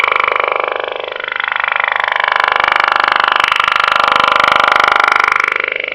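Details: 27.555 MHz USB channel, 19/09/2012, lasting half an hour before stopping: a fast, very even pulsing buzz with a warbling tone. Unidentified radio interference, heard before on this frequency; source unknown.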